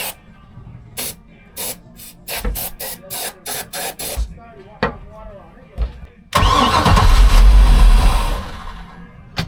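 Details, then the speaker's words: 1978 Sea Ray 24 ft boat, MerCruiser 383 Mag Stroker engine, first start attempt: rapid even cranking then a loud backfire and small fire without starting; carburetor needed replacing and the gas in the tanks was bad; crank no start with backfire. "the turn turn the water off we don't even have it running oh it backfired"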